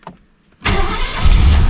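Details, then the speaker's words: 1972 Mercedes-Benz 280SE 4.5L V8 with D-Jetronic injection, hot restart after sitting half an hour, checking for suspected vapor lock: brief crank, catches at once and settles into a steady even idle; no starting trouble. "there we go sells right in a nice idle"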